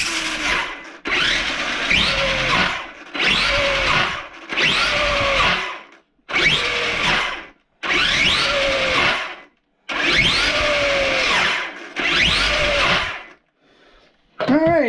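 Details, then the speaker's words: Traxxas E-Revo RC truck with spiral-cut rear diff: short throttle bursts give high motor whine with gritty rising-falling gear rasp and clicking, suspected from the rear diff. Cause not confirmed. "kind of sound like it's coming from the rear end which is not good because i think that's where i put the spiral cut dip in is in the rear end not the front"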